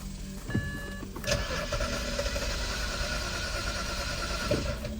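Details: BMW E91 325xi wagon that sat for three years, cranked after swapping in a key from another car. The starter spins it at a steady, even crank for about three seconds, but it never catches or fires.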